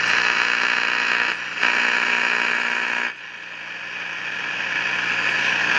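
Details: 1953 Crosley AM All-American 5 (AA5) tube radio at switch-on, no antenna, radio/phono switch on back: steady loud hiss-like roar over low hum, no station audio; not silver mica disease, as pulling either of two parts silences it; oscillator suspected way off frequency.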